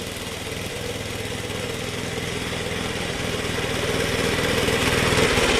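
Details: Suffolk Punch mower, small single-cylinder, after fixing the locked drive that would not disengage: even regular beat about four times a second building gently as it works; runs, cuts and drive disengages properly.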